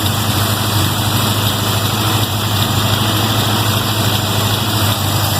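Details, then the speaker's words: 1979 Toyota Corolla wagon just after MSD ignition install, not run for a couple of days, cold idle on high choke: loose uneven beat about two and a half pulses a second; sounds like it's missing, not confirmed. "Somebody actually sounds like she's missing."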